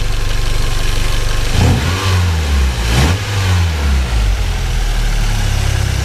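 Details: Nissan 240SX engine just reinstalled after new vacuum lines and gaskets, fluids filled: even idle, then two clean throttle blips that rise and fall smoothly with no knocking or rattles; engine sounds healthy.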